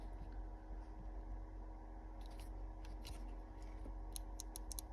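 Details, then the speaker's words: Jeep Grand Cherokee park microswitch (type D2F-01), removed from the ignition because the fob key stuck in park. Sharp, irregular light clicks over a quiet room hum as it is pressed by hand; it works unreliably even after cleaning and needs replacing. "Even after full cleaning, it doesn't really function well. So I'll be replacing it, and this is the number."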